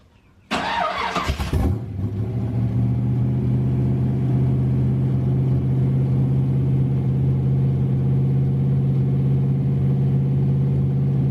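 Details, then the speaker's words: 1932 Ford Roadster on high octane fuel, cold start after sitting a few days (car had sat about 20 years before revival), recorded at the exhaust: brief crank, clean catch, deep even lumpy idle rumble, no knocks or misses. "The old man here is going to fire it up, so we're going to get a cold start out of it. It hasn't been fired up in a few days."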